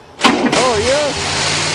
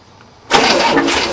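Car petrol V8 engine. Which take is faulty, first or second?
first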